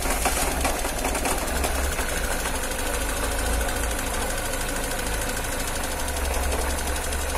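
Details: Car engine cold in the morning idling with fast, light ticking over a slightly uneven, shaky run; cold-start ticking and rough idle, cause unclear.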